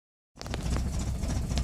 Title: Rough idle